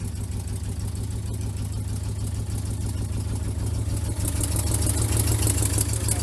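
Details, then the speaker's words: Vintage C30 RV V8 at idle after replacing bad exhaust manifold gaskets: low, heavy idle with a slightly uneven pulse about three times a second, still sounds rough. Rough idle persists after the gasket repair. "are you telling me we didn't have to do exhaust manifold gaskets no we did those were terrible it still sounds like crap though"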